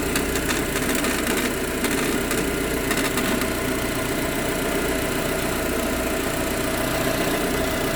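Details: Proton Exora CPS petrol at idle: loose, tinny rattle, busiest in the first few seconds, over a steady hum; source unknown.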